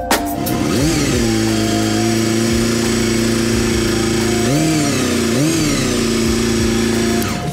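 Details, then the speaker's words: Honda CBR250RR four-cylinder, 19,000 rpm redline, 20,000 on limiter: high gear whine over the engine scream, swooping with each rev blip; normal whine from gear-driven cams. "Do you hear that whine? It sounds like gear-driven cams, eh?"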